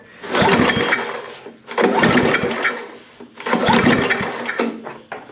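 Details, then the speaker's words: Snapper I 422 snowblower, carburetor removed, two-stroke mix poured down the intake: three one-second cranking bursts that never catch; cranks but will not start; owner suspects valves, compression, or oil or water in cylinder. "all right friends we can't get it to fire square down the throat hole so let's pop this back out and we'll go in from the top"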